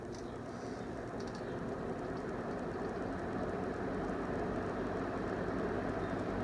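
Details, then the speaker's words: GE 5-wing box fan after motor service, blades on, grates off, reverse on high: steady even airy whoosh, no knock or rattle, quieter than before; normal running, hub slightly off balance. "It's quieter now than it was. We don't have the grates on it, and I think when I ran it before for you, the grates were on, so let's throw the grates on and see how it does."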